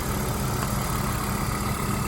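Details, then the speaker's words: 1997 Volvo 850 petrol engine idling smoothly and evenly, no hydraulic lifter tapping heard this time; tapping normally ceases once driven hard, oil pressure light goes out immediately. "I can't get it to make the sound it sounds happy and healthy and I can't get it to make the tapping noise anymore"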